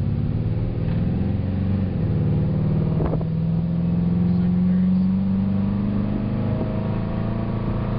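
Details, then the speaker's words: Carbureted Ford 302 V8 wagon during power-mode carburetor calibration: deep rumble climbing steadily in pitch as it pulls away, smooth with no lumps, stumbles or flat spots; healthy acceleration. "How's it feel? Feels nice. It's smooth. No lumps or bumps."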